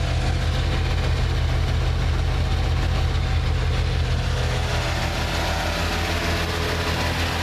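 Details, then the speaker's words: 1987 Plymouth Gran Fury, carbureted, suspected fuel starvation, warmed up: engine holds an even low idle with a steady beat and no stumbling, never trying to stall. "you notice it'll run on the tote like that never seems to try to stall"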